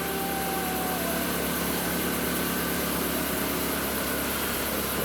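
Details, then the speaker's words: MK1 Audi TT at idle after alternator removal and regulator repair, charging at about 14 V, dropping to 13.5 V with heated seats and headlights on: steady, even idle with no whine or labouring; normal idle under electrical load. "okay probably hear the engines idling a lot better now that heat seat on"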